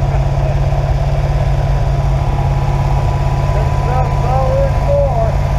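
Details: Rebuilt 350 ci 300 hp small-block Chevy V8 from a 1970 Nova, first start after rebuild: steady, even idle with firm low rumble, no knocks or misses; normal idle.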